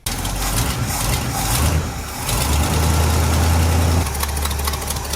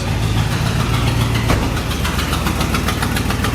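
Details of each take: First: 1972 International 1110 V8 at idle after revival, new belt fitted, while bleeding cooling system: rough idle with uneven ticking puff from an exhaust manifold leak on passenger side; owner thinks high-temp RTV might have helped. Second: 1972 International 1110 truck after refitting the carburetor with the correct metering block gasket and new consumable parts: slow, lumpy but steady, even very low idle with no knock or miss; finally idling properly, just set low.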